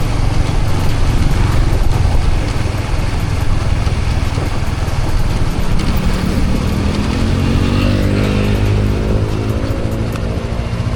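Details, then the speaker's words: Honda CBR150 motorcycle engine running after the cam chain tensioner was replaced with a CRF250 tensioner lifter: even low rumble with no ticking or rattle from the top end; the noise is gone and the engine is fixed. "So kondisyon na ulit ang motor natin guys. Wala nang ingay. So ayos na."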